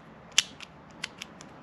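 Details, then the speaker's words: Ford Fiesta ST 180 stock blow-off valve, plunger pushed by hand before a GFB vent-to-atmosphere upgrade: irregular dry clicks and scrapes as it catches instead of sliding smoothly; a sticking plunger, and the owner suspected the valve was failing. "sounds like it's catching it's not smooth at all okay so that may have been a problem"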